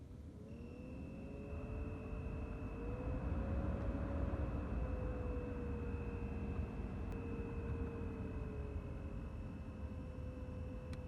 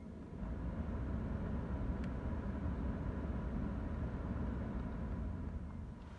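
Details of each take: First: BMW 3 Series F30 heater/AC blower motor: fan rush with steady high whistle and wavering squeal from the faulty motor, before removal, lubrication and reinstallation. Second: BMW 3 Series F30 heater blower after removal, lubrication and reinstallation: steady, even rush of air with the former whistle and squeak gone.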